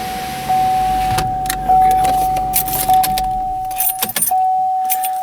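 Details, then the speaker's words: 2011 Chevrolet Equinox with wipers not working: a steady mid-pitched wiper motor whine under key rattle with no wiper sweep; a damaged or disconnected wiper linkage is suspected. "all right well sounds like might be having a damaged linkage or something here"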